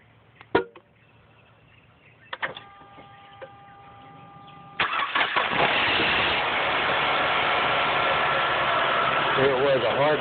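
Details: 2007 Mazda CX-7, about 53–56k miles: a few sharp clicks on cranking, then a brief metallic clatter after it fires that settles into a steady idle. The owner suspects valves or lifters, the source is unconfirmed, and the car went to the dealer.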